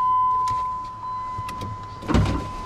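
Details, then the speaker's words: Jeep KJ power window in a newly wired-in door: the motor whirs steadily, then clunks and rattles as the glass stops. Owner is unsure what's wrong; the rear windows don't work at all, possibly a fuse. Power window malfunction. "so that window something's wrong with it I'm not sure yet what's happening there but I'll figure it out and the rear windows are not working at all so I think that might just be a fuse"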